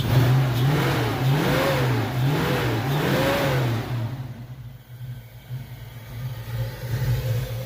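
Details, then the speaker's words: 1992 Mustang first start after sitting a long time, ignition timing not yet set: rough, uneven revving dropping back to a loping idle; uneven running at first start. "happy staying Sunday to you guys listen to this Beach Road still gonna set the timing but first time she's been fired a long time"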